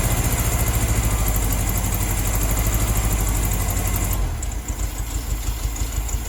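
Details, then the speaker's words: 1972 VW Beetle 1200, first start in over two years, choke on, cold: uneven, lumpy idle with a stumbling exhaust beat, not firing on all four cylinders, which cylinder not yet known; misfire. "i don't know which cylinders it's not firing on um but it's definitely not on all four so uh we'll let it run a little bit let it warm up and then uh we'll see if we can figure that out"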